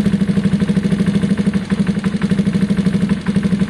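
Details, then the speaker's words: Gilera DNA 125 single-cylinder scooter warming up after a carb upgrade and coolant top-up: the idle dropped lower, an even putter with no hunting or surging, meaning the hole is gone; the idle screw is next adjusted once warm. "good that's good news guys that means the hole's definitely gone so I need to adjust the idle screw just enough once it's warm"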